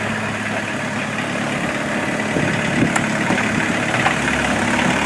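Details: Mazda B1800 / Ford Courier pickup with VW diesel swap, started after about five months sitting, no hood, exhaust not yet built: steady, slightly uneven unmuffled diesel clatter settling into even idle after clean start; normal diesel idle.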